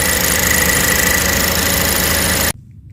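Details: Cadillac ATS idling in Drive after a long drive: light buzzy metallic rattle from a broken exhaust bracket by the oil filter; noise goes away with a little gas; bracket later welded.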